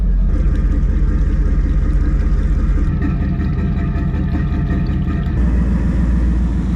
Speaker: So just on idle at the moment. That's how we did the test before, so do it the same.